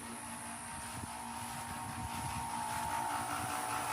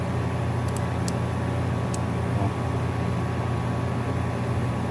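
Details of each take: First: Home AC not cooling, indoor 85°F, outdoor condenser unit: steady compressor hum with a faint whine and no fan whoosh; compressor runs but condenser fan does not, cause not yet diagnosed. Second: AC system repair on a home 85° inside: a steady low hum and even fan whoosh as the unit fires up after work. The motors read about 1.3–1.4 amps, one with a 7.5 cap; no rattles.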